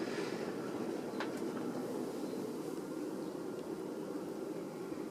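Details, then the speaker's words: Vintage 42-inch Emerson 1895 Series ceiling fan, white, later stencil version, switched from zero to high: an even, smooth rush of air with no ticking, wobble or motor growl; normal high-speed airflow, fan performs flawlessly. "but you can still hear it especially if you go from zero to high listen to that air yeah these are really good performing fans too especially uh 42 inch focus"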